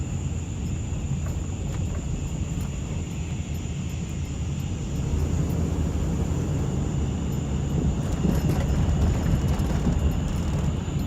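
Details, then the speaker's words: 2005 Dodge Ram 1500 4x4 driving after swapping the noisy rear differential for a salvage-yard unit: steady road and drivetrain rumble with no whine or howl building with speed; quiet rear differential. "sounds much better this is great this is awesome man two days of work well worth it"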